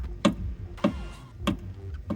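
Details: Mitsubishi Pajero rear suspension knocking after off-road use: four sharp hollow knocks about every 0.6 seconds as the part is rocked by hand under the car. A loose hose bracket with a missing bolt; shock housing bolts had already been tightened.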